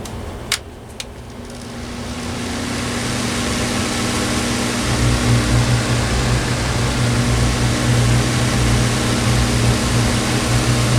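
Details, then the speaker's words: Older Honeywell HT-803 turbo fan after fitting bushings to quiet its noisy bearings: switch clicks, then a steady, smooth hum without grinding. The noise creeps back after running a while but stays quieter, a partial fix. "I think they solved it I gotta let it run for a little while before I say for certain that it's good but looks like they fixed it"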